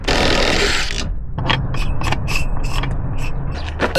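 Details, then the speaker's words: Front half shaft from a 2.5 front-wheel-drive Volvo XC90 donor car, flexed by hand. It shows no play, yet gives uneven clicks and gritty rasps, suggesting a worn, dry CV joint. The cause is suspected, not confirmed. "Dude, I think this I think this half shaft is cooked. Look at this one. There is no play in this in I mean, yeah, there's just no way it's supposed to be making that noise."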